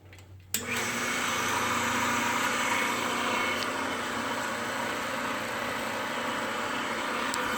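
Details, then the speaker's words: Home-built KMG 2x72 belt grinder clone, first test run after rebuild, belt on slow-speed pulley, foot-tensioned; motor spins up to steady even hum with light belt hiss, no knocks or rubbing; running fine. "Looks okay to me."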